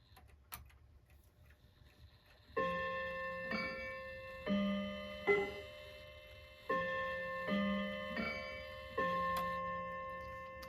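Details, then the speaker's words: Slow-running Seth Thomas mantel clock on its quarter-hour chime: notes die short and dull because each hammer hits its chime rod and stays pressed against it. "clearly the chime rods need to be adjusted because the hammers are, looks like it's hitting the rod and then staying pressed against it, so it's muffling the sound."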